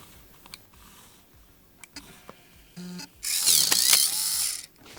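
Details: 1986 Macintosh Plus 1MB floppy drive after full disassembly, cleaning, service and replacement cogs: light ticks, short buzzing seek, bright whirring spin and clatter; normal floppy drive operation.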